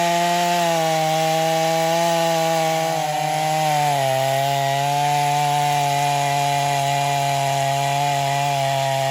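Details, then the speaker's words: Stihl MS250 chainsaw test cutting wood after carb retune, tuned pretty rich for break-in; possibly slightly low compression but pulls with power; high two-stroke scream drops in pitch as chain bites, then recovers. "but it's still running it's still pulling with power and everything so you know we're gonna leave it"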